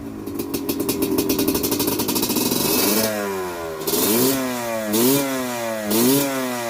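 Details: Honda CRF150L trail bike fitted with a Kawasaki Ninja two-stroke engine, kickstarted before a test ride, fan on with ignition: crisp two-stroke crackle settling into an even idle, then quick clean blips; normal running.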